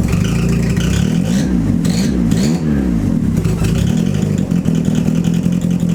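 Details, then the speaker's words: Turbo Mazda Miata restarted after the MAP sensor vacuum line was left unhooked, while checking a vacuum leak; revs surge and sag unevenly when blipped instead of settling, rough running from the disconnected MAP line. "My stupid self forgot to hook up the map vacuum line, so let's try this again and see what happens."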